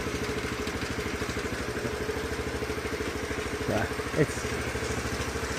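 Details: 2007 Honda CT110 that sat three years, idling after cam chain adjusted as far as possible: fast steady beat with light mechanical clatter, still a little noisy; possibly cam chain, cause unconfirmed.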